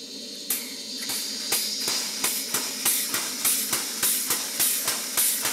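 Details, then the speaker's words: Second model 12-inch Southworth steam pump with temporary threaded exhaust union, tested at raised steam pressure: sharp exhaust puffs about three a second over a constant high hiss, steam likely escaping where silicone tubing is merely pushed onto the tap's threaded end. "Note to self, it's not a good idea to turn up the steam pressure when the steam connection is just a piece of silicone rubber tubing pushed onto the threaded end of the tap."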